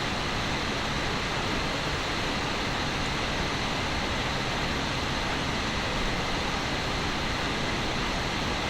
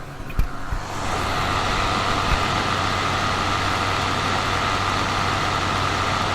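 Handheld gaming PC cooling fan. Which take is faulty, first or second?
second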